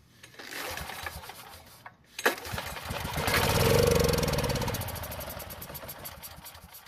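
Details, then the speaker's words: Long-stored Powermate generator given fresh fuel into the carb line and assisted starting; cranks, catches briefly, revs unevenly, then sags and dies, not staying running; carburetor fault. "And even after trying to help it out, it still wouldn't stay running, and the attempts to start it afterwards shows that the carb needs to be looked at."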